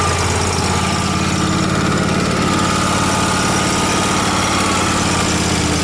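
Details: Miller Trailblazer welder, carbureted with a crankcase-vacuum fuel pump: uneven, hunting idle with a ragged rumble that is fine when choked; it runs lean from too much air.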